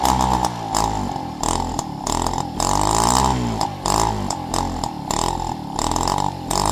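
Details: Peugeot 103 RCX moped two-stroke, first start after full engine rebuild and carb cleaning: crisp buzzing note blipping up and down with each throttle stab, clean and responsive; healthy.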